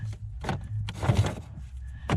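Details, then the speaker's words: 2000-2007 Ford Focus after replacing the damper door switch on the middle HVAC knob, which had been spinning freely: short motor whirs with soft thumps as the flap swings up and down, the blend door working normally. "you can even test it you can even test it there we can hear the blend door moving around you can see a little bit"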